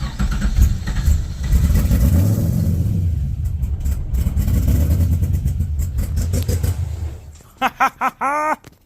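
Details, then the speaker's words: 1970 Z28 Camaro, built LS2 with LS3 heads, newly fitted Edelbrock E-Force supercharger, first start with MAF, MAP and throttle body unplugged: fires and runs rough for about seven seconds then shuts off, with no supercharger grinding. "I didn't hear no grinding from the supercharger. Mind you, everything's unplugged, and this is literally riding on the belt."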